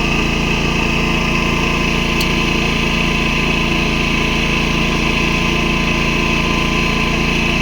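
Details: Predator 11,500 W inverter generator, broken in, powering an inverter welder from the 240 V 30 A outlet: steady, even drone with constant hum, no surging or hunting under welding load; running normally, owner notes the noise.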